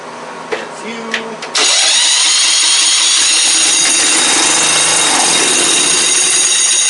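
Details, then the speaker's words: Circa-1991 "Squarebody" Craftsman riding mower, started with the key on battery after starter work; engine catches cleanly and settles into a steady, even idle with no misses or knocks: healthy runner. "It does indeed start with the key in the battery system. Well, now that we've established that that is a runner, a good one at that, it sounds very nice."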